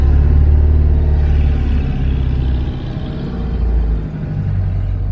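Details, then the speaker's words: 1975 VW Fusca 1300 air-cooled engine after clutch, ignition module and final adjustments; deep, even growl climbing and settling as throttle opens and closes, no knocks or misses, accelerating progressively; normal revving. "os 575 chegou aqui desenganado pelos melhores especialistas arrastado pelo pelo carlinhos e depois de uma metamorfose ele tá rosnando como um tigre siberiano"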